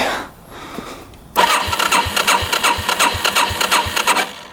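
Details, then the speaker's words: 1987 Yamaha SRX 250 motorcycle with the clutch safety switch apparently disconnected: the starter churns the engine over at about three turns a second, tried with and without choke, but it never pops or fires; cranks but will not start. "I don't hear it do anything. Not hearing it go pop. I know that. So it's not doing anything at all."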